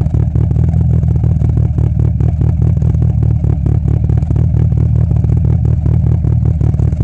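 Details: 2G DSM engine with a phantom misfire at idle: loud, deep idle with a chuffing, uneven beat and the odd stumble; intermittent misfire, cause not yet found.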